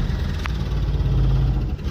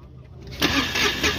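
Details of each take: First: Mahindra Supro diesel after repair of a chafed, broken injector wire (code P0201) and loose common-rail coupler: steady low idle chug with a few brief dropouts, even firing, no knock or miss; starts and runs normally. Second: Mahindra Supro diesel with code P0201 injector fault from a broken wire and loose common-rail coupler, low battery: brief cranking catching with uneven bursts, never settling to steady idle; hard start before repair.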